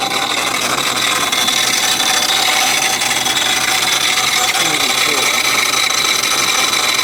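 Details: Modified car at 2,000 RPM on the road: harsh, loud rasp with rough fast flutter, very loud from the intake, belt still on, RPM dependent; cause unknown, owner hopes something loose, fears block or head.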